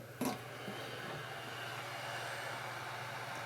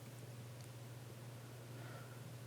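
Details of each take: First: DigiBee 400 LED light, original high-powered 50 mm cooling fan: steady airy whoosh with faint low hum throughout; loud cooling fan noise. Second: DigiBee DB800 LED light with loud original 50mm fan replaced by a quiet 40mm Noctua fan: only faint steady low hum, no ticking or rattle, barely audible — normal fan operation.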